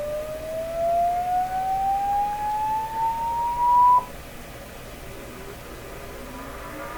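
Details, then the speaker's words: 1929 Victor RE-45 radio, amplifier and speaker check with a low-frequency sweep tone: steadily rising tone with a rough, buzzy edge and faint overtone; distortion suspected to come from the speaker, not confirmed. "boy oh boy oh boy ask not too good is it [Music] well I'm gonna guess that's the speaker doing that"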